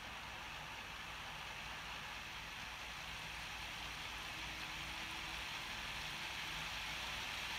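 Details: New Bachmann Class 66 model locomotive at full speed, about 62 dB, compared with an older one: steady high whirring hiss with constant pitch, motor and gears thought somewhat noisy.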